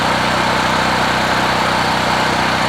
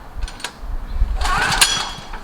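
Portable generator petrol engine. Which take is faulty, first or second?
second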